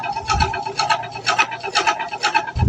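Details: LG inverter washing machine during spin: a rasping scrape repeats about twice a second with each drum turn. Strange noise traced to a foreign object caught between drum and tub.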